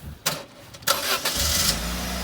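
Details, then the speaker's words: 2001 Saturn SC2 after brake pad replacement: a few clicks, then catches quickly and settles into a steady low idle, no warning lights; clean, healthy cold start. "good in the cold start perfect no lights on"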